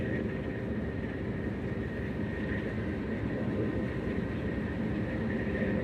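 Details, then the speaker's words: Combine feeder house after a welding repair, head running; steady even drone with a constant high tone, no knocks or slipping, grain then reaching the yield monitor; normal feeder house operation. "Well, sounds like it's going. And the head was running, but it was the feeder house that wasn't."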